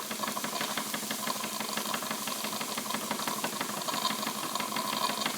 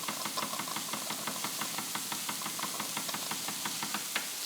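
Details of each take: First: Wilesco D20 toy steam engine at about 1.6 bar, running clockwise: a steady high hiss over quick exhaust chuffs as the safety valve lifts normally. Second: Wilesco D20 toy steam engine reactivated; light, sharp knocks repeat several times a second, knocking audible while running, quieter when reversed.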